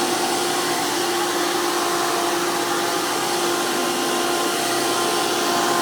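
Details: Hoover PowerMax II U5246-940 upright vacuum (2002), direct-air design with 12 amp motor, high RPM and 20-blade fan impeller, after motor work: loud, steady high-pitched motor whine with strong rushing air, even throughout. Normal running.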